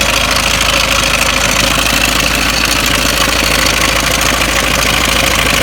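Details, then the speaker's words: Ford Mondeo Mk5 2.0 diesel, 246,000 miles, idling: loud idle with busy metallic chatter over the clatter; slack timing chain rattling, tensioner nylon guides broken, chain near breaking. "I'm going to start the engine up and you're probably going to hear it, and I'm probably not going to be able to talk over it because the engine's that flipping rattly and noisy now."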